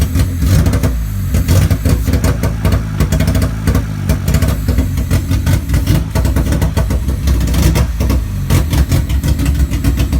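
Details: Honda Civic D15B2 petrol engine after MPFI conversion, timing belt correct, ECU code 20 (electrical load), hard to start, won't accelerate: rough uneven idle, stumbling low beat, misfire.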